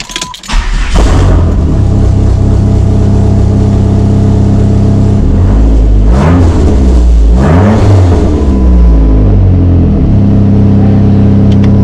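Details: Turbo PT Cruiser after correcting swapped spark plug wires on cylinders 3 and 4, which may have made it sound like a Subaru: quick crank, catches at once, strong idle with clean rev blips settling back; running normally.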